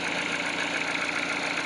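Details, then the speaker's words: Peugeot 308 cold idle after greasing the water pump tensioner (idler) with blue Litol grease: cold-start crackle gone, steady even hum with no rattle or tapping; chain and engine fine, belt previously replaced. "Я просто немного набил смазку литол синий модуль и трест пропал"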